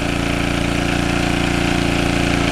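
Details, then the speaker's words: Early-1980s Generac S1500 portable generator on a cold day, started with starting fluid after a carburetor rebuild was suspected: steady, even drone at constant speed with no knocks or surging; running smoothly. "well we're in business so what I'm going to do I'm going to let that run for a little bit"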